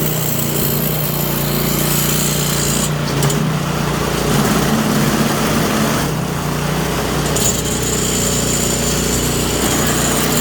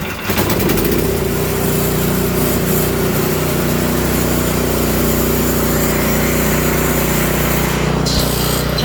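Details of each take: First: Toro Power Clear 721E electric-start snow blower, customer says it won't start or won't stay running: small single-cylinder engine runs loud and uneven, speed hunting in waves before steadying; surging, carburetor suspected, not confirmed. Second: Toro Power Clear 721E electric-start snow blower, after ultrasonic carburetor cleaning and rebuild, fresh fuel and oil checked (previously wouldn't start or stay running): steady even buzz, no surging or hunting; running properly.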